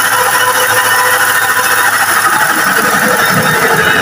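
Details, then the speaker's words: Toyota Kijang with electric fan conversion, warm idle: steady mid-pitched whine over a loose, rattly rhythm from the faulty power steering pump; power steering noisy. "Ini suara power steering lor, power steeringnya kan masalah, jadi suaranya"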